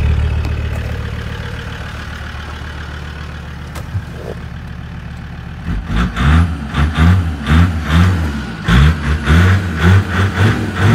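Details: Land Rover Discovery 2 Td5 diesel below operating temperature: idle starts smooth, then turns lumpy with uneven surging thumps about twice a second before easing out; owner suspects ECU-controlled fuel cut or cold protection.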